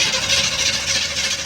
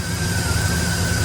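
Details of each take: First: 1959 Chevy truck cranking on starter button, key on: steady starter whir, engine turns over but never catches; spark tester shows no spark from coil/distributor, old distributor parts. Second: 1959 Chevy truck after fixing a no-start caused by misplaced ignition wires: steady low engine drone with an even note, no misses or knocks; normal running.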